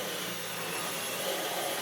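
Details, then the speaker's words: Dyson V12 Detect Slim Absolute cordless stick vacuum, which had been clogged and kept pulsing and cutting out, vacuuming carpet, now working and picking up dust: steady high airy whoosh with no surging or pitch dips. Running normally. "But that is definitely now working. And that has picked up quite a bit of dust from the floor."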